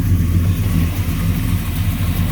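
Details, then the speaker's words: 1967 Chevy Nova SS clone with a stroker V8, Muncie 4-speed and 10-bolt posi. It starts right up and idles with a deep, even V8 rumble, no ticking, knock or misfire. Good oil pressure, no smoke, quiet motor: normal idle. "Starts right up, no issues. Got nice oil pressure."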